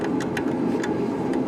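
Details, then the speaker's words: Water pump pressure switch, pressure dropping as hose water is used, pump expected to kick in at 30 psi: sharp irregular clicks over low hum as the low-pressure cutoff lever trips early, shutting off the pump. "So this is a low pressure feature on this pressure switch that say if you had a bursted pipes and it had absolutely, since that there was hardly no pressure at all, it would cut it off."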